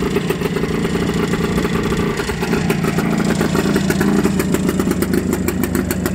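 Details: 1974 Suzuki TS250 two-stroke, 9000 miles, sat 37 years, after carb clean, new plug and aftermarket fuel valve, started on choke: crisp, rapid two-stroke popping at steady idle, no misses; normal idle.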